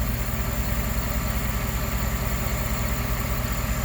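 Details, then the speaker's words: 2011 GMC Sierra 1500 V8 after the failed oil pressure sensor was replaced (it had a slight tick and lope before) and all fluids serviced: a smooth, even idle with a steady low rumble and no ticking or lope; normal idle. "Yeah, listen to that. I mean, it sounds brand new."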